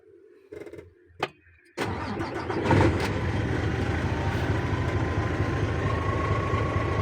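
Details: Isuzu 6WG1 CRDI diesel 12-wheeler double I-beam truck, after key reprogramming fixed ignition switch not shutting engine off: a few clicks, cranks, catches quickly and settles into even diesel idle; normal start.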